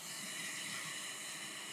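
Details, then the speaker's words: Caroma linked-suite toilet cistern refilling right after servicing and reinstalling the ballcock float inlet valve, targeting a 9 L water height: steady airy hiss of water through the inlet valve, hissing still present. "I don't know if you can hear this, but the hissing noise is still there."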